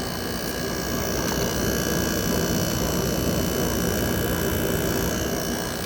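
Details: 2024 Midea 5,000 BTU window air conditioner heard running from outside, condenser sweating and cold; even, continuous hum and airy fan rush with no knocks or rattles, compressor sounds pretty good; normal running.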